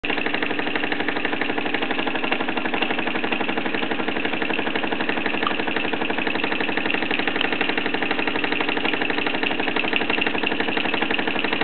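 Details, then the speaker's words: Mamod SE2 raised-base toy steam engine near the end of a just-under-15-minute run despite a leaking safety valve: fast steady chuffing about four beats a second with safety-valve hiss behind, gradually spinning down. "well this se2 is coming to the end of its run now despite leaking safety B it's still put in just under 15 minute run which is not too bad really just gradually spinning down now"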